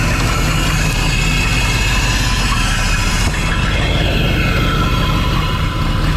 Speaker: all right that sounds real bad it's got another exhaust leak of some sort on the passenger side but uh yeah it don't sound good